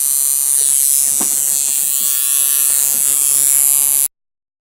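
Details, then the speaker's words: Coil tattoo machine driven by an electronic pulse generator at 46% duty cycle, its best setting: smooth, even high-pitched buzz with no stutter or dropouts; running cleanly. "so i'm going to go ahead and say 46 duty cycle is what runs my tattoo machine the best"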